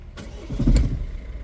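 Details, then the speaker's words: Peugeot Expert/Citroën Jumpy/Fiat Scudo 1.5 diesel van after scanner start-unblock (no-start immobilised), battery weak: starter turns briefly, engine catches within a second into a steady even idle; normal start. "Então a partir do momento que a gente fez desbloqueio no esner nó já tava ligando né só tava com a bateria fraca"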